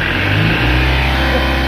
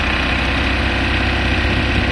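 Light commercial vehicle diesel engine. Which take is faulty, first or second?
second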